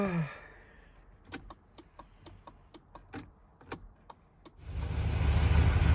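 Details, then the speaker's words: 1978 Mercedes R107 350SL, indicators tested after the hazard relay was confirmed working: the right-side relay clicks quickly and evenly, about three a second, faster than normal, because the front right bulb is gone. "hang on it let me try the indicators the right one will flick quicker cuz the bulb is gone front right and the"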